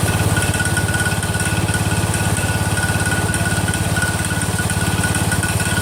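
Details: Freshly rebuilt Kohler single-cylinder engine in a Cub Cadet 102, cold first start, steady idle with an even tick about three times a second; the front pulley is coming apart, not a loose rod.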